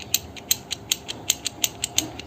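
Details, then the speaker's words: Bajaj CT 100 gearbox assembly: a gear on the output shaft, refitted the right way round after first going on reversed, turned by hand gives crisp even metallic clicks about four per second, seated and meshing correctly. "तो ये gear हमारा fit हो चुका है, आपको इसकी आवाज़ सुनाई आ रही होगी।"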